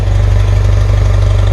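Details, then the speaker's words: 1977 BMW R100S twin, warm, still on part choke: low, steady thump at idle with a slightly uneven, lumpy beat. The owner feels a small throttle turn could make it die while a large one revs it. Rough idle on half choke. "When I touch this, I feel like if I turn it a little bit, it's gonna die. But if I turn it a lot, I'll get a rev out of it."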